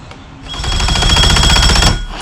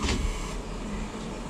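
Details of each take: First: 2005 Mercury Optimax 115 two-stroke outboard after a used PCM replacement, out of water: four cranking bursts of about 1.5 s that keep stopping and never catch; cranks but won't start, owner suspects a low battery. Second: 2005 Mercury Optimax 115 outboard with the key switched on: steady low electric hum for a couple of seconds as the fuel pump primes normally, heard up close, before cranking on a substitute battery.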